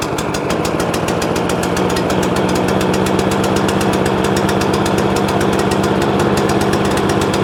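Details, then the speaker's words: Free scrap overhead-valve mower engine after main jet work: uneven, stumbling chuffing at fast idle, running as if on choke. Owner suspects the spark plug. Misfiring and running rough. "well that's running really bad hmm that don't sound very clever do it that don't sound very clever at all i'll whip that plug out see what that do"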